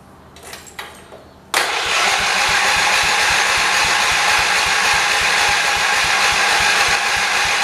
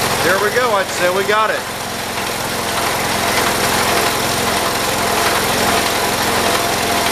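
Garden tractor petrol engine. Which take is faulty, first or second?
first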